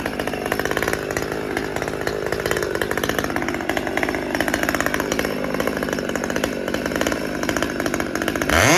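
Steady rapid two-stroke idle that keeps trying to climb, ending in a quick rev; lean idle hunting from a restricted fuel filter.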